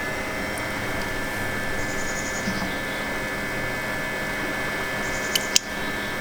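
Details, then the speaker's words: BMW N54/N55 (335i/135i) coolant bleed after a vent hose repair: ignition on, heat at max, blower lowest, gas pedal floored 10 seconds. Then a steady electric whir with a faint hum as the electric water pump cycles coolant. "and now I just heard the water pump kick on so leave the car in the on position and we're gonna see here this thing's starting to burn and I can hear the electric water pump on"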